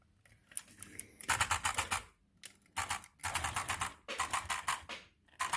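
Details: Front differential of a 2019 Arrma Outcast 6s: quick bursts of sharp plastic-like clicks about ten a second, causing intermittent clicking while driving; some diff gear teeth are ground down, while the input gear still looks okay.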